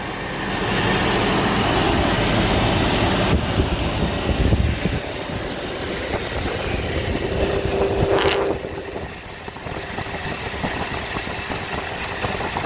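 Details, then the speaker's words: Toyota 22RE truck idling at operating temperature after repair of erratic high idle and overheating: steady even idle around 750 rpm, smooth exhaust, no hunting or surging; running normally. "seems to be holding nice all right hello again guys as you can see trucks running beautifully no more weird idling crap idling 7 500 just as it should at the right temperature"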